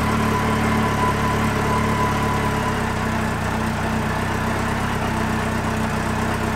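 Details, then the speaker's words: Yamaha XJR motorcycle after oil-leak repairs, carburettor synchronisation redone and idle adjusted: smooth, even four-cylinder idle with steady low burble, no ticking or puffing at the header joints; the earlier noise is gone. "normalement démarre au quart de tour nickel il y a plus ce bruit"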